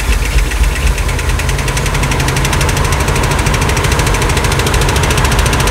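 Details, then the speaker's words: 1979 Ford E350 Scamper motorhome's 460 big block, cold start after sitting, on fresh fuel with the carburetor leaking: loud, rough idle with a fast, even valve train ticking that follows engine speed; has oil pressure, hoped to quiet down. "a lot of valr noise hopefully that quies down in a minute"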